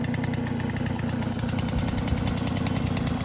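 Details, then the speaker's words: Restored MBK 51 Club moped, first start on a brand-new engine, carburettor not yet tuned: steady busy two-stroke putter with an even beat and no knocks or rattles; idling healthy, everything works. "Premier démarrage, avec le petit feu, tout fonctionne, nickel."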